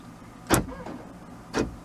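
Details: Buick/Pontiac door locks cycling with two sharp clunks about a second apart on remote press right after key fob programming; lock actuators responding normally.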